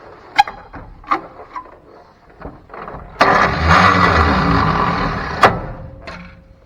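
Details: 1957 Chevy 3100 pickup, original six-cylinder, sat in a field 57 years: a few sharp clicks then a brief crank that cuts out abruptly; starter won't stay engaged, suspected starter not flywheel.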